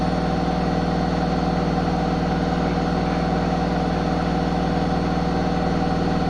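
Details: Zanussi ZWH7148P washing machine knocking during spin: a steady low hum with a regular thump about three times a second.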